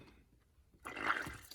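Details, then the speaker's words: 2015 Jeep Grand Cherokee 3.6 after thermostat replacement, bleeding the cooling system: a brief wet gurgle from a quiet moment as trapped air bubbles push out of the coolant; air purging from the cooling system. "now it's good did you hear the air bubbles it kind of pushed out"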